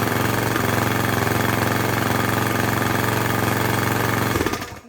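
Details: Craftsman lawn edger, 140cc engine with lots of dirt in the carb intake: small single chugging at a low, uneven pace, never picking up to full speed, then dying away; running poorly.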